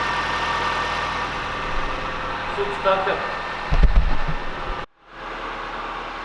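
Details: Nissan Micra 1.2i that cranked but would not start, fault code P0340 camshaft position sensor circuit: after a new Delphi camshaft sensor was fitted, the starter whirs briefly and the engine catches and settles into a steady idle. It starts normally.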